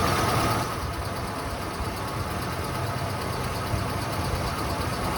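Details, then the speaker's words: 1993 Ford Bronco, freshly installed engine, first run before coolant fully topped off: steady, even idle with smooth low rumble, no ticking or knocking; lifters/rockers seem properly adjusted, timing possibly slightly off. "I don't hear any taps or knocks. Sounds like the lifters or the rocker arms are probably adjusted properly."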